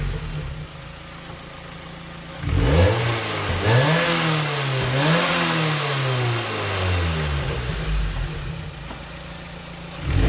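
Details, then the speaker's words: 2006 Mazda Miata, about 20,000 miles, newly installed Goodwin Racing Helmholtz exhaust, unloaded free revs: hollow tinny metallic rasp riding exhaust note, heard from Helmholtz chamber area; owner says more pronounced under load at wide open throttle; cause unconfirmed. "I can definitely hear a hollow metallic sound coming from the Helmholtz chamber area itself,"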